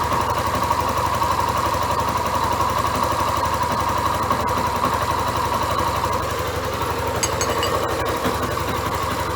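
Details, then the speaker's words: Yamaha Crosser XTZ 150 single-cylinder after valve seal, cylinder, piston and ring work, idling while a wrench is used as a homemade stethoscope; a light, loosely regular ticking runs through the idle. The source is not pinned down. "Quem quer um uma ferramenta um jeito legal e vocês verem da onde que tá vindo com um barulho é vocês colocarem uma chave e colocar a chave no seu ouvido"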